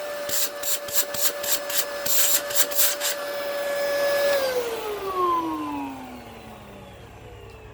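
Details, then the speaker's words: 2002 Dyson DC07 vacuum: steady high motor whine, then after switch-off a weird warbling wind-down; suction is still strong with no duct clogs, and it sounds more normal with the bin removed. Unusual motor wind-down noise. "hear that wind down how weird that sounds although again yeah so that there's no clogs in this ductwork because otherwise there wouldn't be that there's still very strong suction now that motor wind down is really weird"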